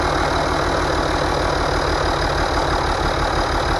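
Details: International DT466 diesel loader engine test-run after a rebuild for knocking, valve cover still off: steady low clatter at idle, even and unhurried, no stray knocks; running healthy.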